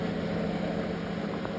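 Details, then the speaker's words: Samsung GW732KD microwave fan motor (coil-driven) after being opened and tightened: steady, even hum with low drone, no crackle or scraping; the earlier jammed-sounding crackling is gone, running smoothly. "अब इसका sound अच्छे से ठीक आ रहा है, मतलब वैसा नहीं आ रहा जैसे आ रहा था पहले।"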